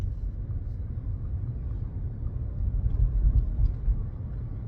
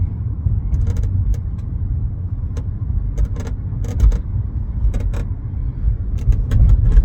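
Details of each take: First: 2017 Chevrolet Bolt after lubricating the rear hatch latch: low road rumble driving slowly over bumps with no rear creaking; the latch was the real culprit, and bump stops were a red herring. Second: 2017 Chevrolet Bolt driving over bumps: sharp, irregular creaks and ticks from the rear over low road rumble, traced to the dry rear hatch latch.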